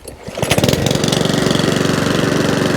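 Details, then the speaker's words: Mountfield 414/164 self-propelled mower rescued from a tip, restarted, drive works, running as it should: catches after a few pulls, then a quick even putter with no stumbles or surging. Normal running. "bit of a clean good to go job done okay mountville 414 or 164 now complete fully running as it should do super happy with it"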